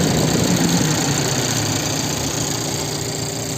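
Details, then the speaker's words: Turbo Hyundai i30 idling with steady quick knock, about four a second, from cooling fan blades hitting ice because there is no protection. "i30 приехал турбовый что-то стучит вентилятор посмотрели тоже он стучит а там лёд который вентилятор задевает все потому что защиты нет"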